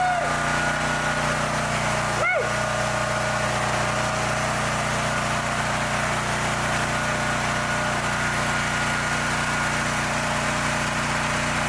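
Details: A brand-new Champion EFI generator, which would not run after kerosene was put in its fuel, now runs with a steady, even hum at constant pitch, with no misses, surging or knocks.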